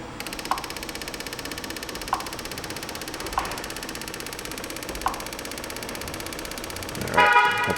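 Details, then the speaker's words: 2012 Chevy Cruze 1.8 with purge control circuit code, key on, scan tool commanding the purge solenoid: quick, steady light ticking, about four a second, as it cycles normally after a broken wire was found. "we should be able to hear that solenoid clicking now"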